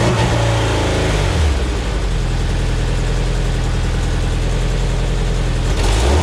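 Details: Homemade race car "Scrap Metal" with a 20-year-old engine tuned while the old fuel pump was dying, after fuel pump replacement. Loud deep note, uneven rev blips, unsteady idle: rough running. Owner suspects the tune; cause unconfirmed.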